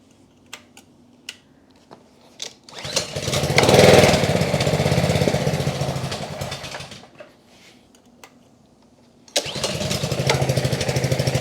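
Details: Trash-picked Ryobi 3100 psi pressure washer, Honda GCV190 engine from 2018, after carburetor work, second try, warming up: engine catches, runs a few seconds with an uneven beat, dies, then restarts; rough running while warming, cause unconfirmed.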